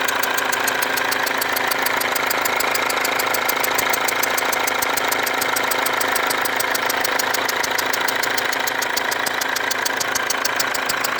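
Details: Mercedes W204 diesel at idle with a leaking fuel injector: a sharp, regular tick about four times a second and a thin whistle from the injector area, with burnt-on diesel residue around the leaking injector.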